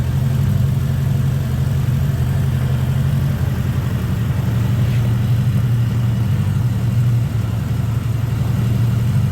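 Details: 1979 Honda GL1000 Gold Wing flat-four after valve seal replacement to cure excessive smoking; smooth, even low idle with a steady beat, no misses or knocks; normal idle.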